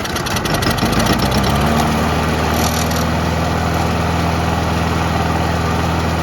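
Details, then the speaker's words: Old Briggs & Stratton mower after a carburetor diaphragm replacement: fast, uneven idle with a tinny rattle. A loose piece at the front is hitting the blade, not the pull start. Blade contact rattle. "Yeah, it didn't really make it clear there, but obviously that loose piece in the front is hitting the blade, and that's what's causing that sound. It's not in the pull start."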